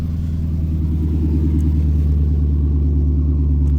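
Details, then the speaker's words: C5 Corvette after valve cover gasket replacement for an oil leak: deep even rumble with a steady low pulse about three beats a second that swells as it settles; weird noise when cranking, cause unknown, some smoke noted. "We got to get the temperature together, and it's got this weird noise when you crank it now. So not quite sure what that is."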